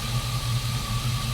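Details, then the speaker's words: GMC Sierra 4.3-to-5.3 swap, brand-new alternator charging about 14.3 V at idle: steady high whine over the idle rumble; owner suspects the alternator and plans to swap in the stock one. "sure is noisy though yeah we're getting a good reading there so i just don't like how loud it is can you guys hear that sounds to me like something's up there"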